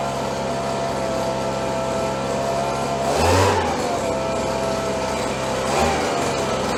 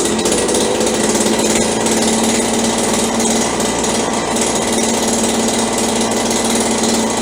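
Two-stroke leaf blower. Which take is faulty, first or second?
second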